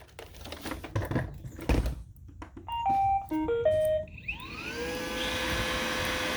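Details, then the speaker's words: Roomba i/s-series vacuum with both aftermarket rollers removed: a few startup beeps, then a smooth rising whir with no squeak, clicking or rubbing; normal running, the noise possibly from a non-genuine roller. "i removed the rollers all together and i got no noise at all it works clean you can just hear the sucking vacuum no clicking no rubbing perfect"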